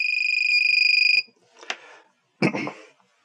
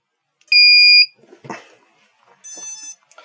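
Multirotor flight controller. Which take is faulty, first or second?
first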